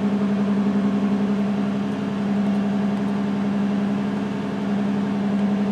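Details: 2006 Toyota Solara V6 idling with cylinder-one misfire from a failed ignition coil on the rear bank under the intake plenum: steady idle with an uneven, loping pulse several times a second as one cylinder drops out.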